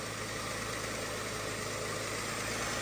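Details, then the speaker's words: Abandoned Pontiac left sitting in a field, just fitted with a battery and some gas, fires up at idle: an even, steady idle at constant low speed with no stumbles or misfire; it purrs. "we're running it's running no way dude this thing purrs"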